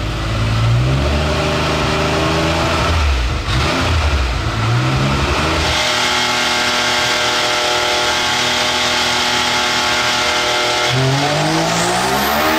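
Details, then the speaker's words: Turbocharged X3 side-by-side on a dyno, boost crack pressure cut back from 16 to 12 over a suspected leak: a strong, clean full-throttle pull with no flutter or hiss, reading about 41–43 pounds; it sounds better, and the crew notes it was also idling rich. "we backed it off a little bit trying not to overshoot it so it sounded a lot better on that run"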